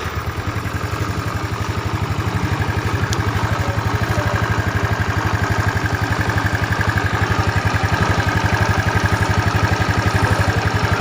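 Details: Yamaha Mio Smile after the noisy timing chain was replaced with a 90-link Honda chain and valves adjusted: even, steady single-cylinder putter with no chain rattle; faint airy hiss because the tensioner cover is not yet fitted; normal idle.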